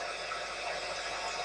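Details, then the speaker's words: Sony ICF-2001 receiver, dead radio under repair: a steady, even hiss with no station at any tuning setting, even though the signal-strength meter reads full. Static only, no reception. "you can hear all we have is static now we can go up or down what the tuning doesn't matter just picking up nothing but static no matter what I do"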